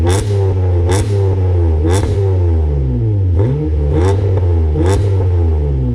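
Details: Acura TL 3.7 V6 with aftermarket Endless exhaust, morning run recorded on a GoPro; deep, even exhaust note rising and falling with repeated throttle blips, no knocks or rattles: normal revving.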